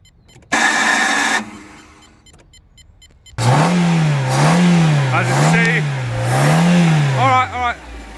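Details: Fiat Grande Punto 1.2 with no-start immobilizer fault, running after 12 V applied to a broken oxidized wire: engine revs in four smooth even swells and drops back cleanly with no misfire.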